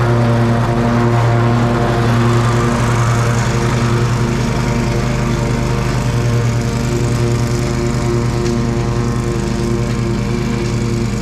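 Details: Exmark Pioneer zero-turn mower after deck belt reinstalled (popped off hitting a stick), oil change, service and new air filter: even steady twin-cylinder drone, no squeal or slap from the deck; belt stayed on, not warm, pulleys quiet.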